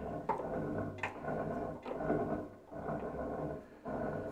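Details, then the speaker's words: Ferguson TE20 tractor after clutch repair, rejoining halves, rear PTO shaft in gear rocked with a spanner: uneven growling scrape surging about once a second; gearbox main shaft rubbing on the clutch plate, splines not yet aligned. "that noise is the main shaft rubbing on the clutch plate"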